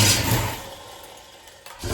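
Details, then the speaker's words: Pontiac 461 stroker engine on a run stand at first fire-up: strong V8 burst drops to a low idle, then revs crisply. About 40 lb oil pressure at idle, rising with throttle, and no exhaust-leak ticking; it runs good. "what do you know I didn't hear an exhaust leak it actually worked like it was supposed to how about that there you go uh it runs good"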